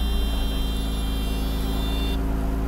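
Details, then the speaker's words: Mercedes-Benz W126 300SEL after engine overhaul (fuel distributor and injectors replaced), first cold start with coolant at its lowest, started in neutral. Steady, slightly high cold idle with no knocks or misses, expected to drop as the coolant warms. Normal cold idle. "This RPM, the idle speed is a bit high. That's because it's currently in a cold state. Wait for the RPM, the temperature, once the water temperature rises, the RPM will drop."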